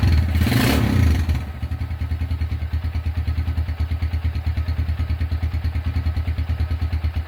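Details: Restored Honda Tiger single-cylinder engine at first start after rebuild; a broken exhaust bolt was repaired and the starter cable replaced. After a short blip, a steady even thump at about three beats a second with no knocks; smooth, normal idle.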